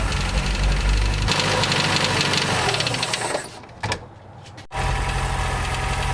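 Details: 1989 Dodge Caravan 2.5 Chrysler after in-frame rebuild, run without alternator or water pump: rough uneven knocking run that stumbles, nearly dies, then picks up; owner suspects ignition timing too far advanced, camshaft possibly a tooth or two off.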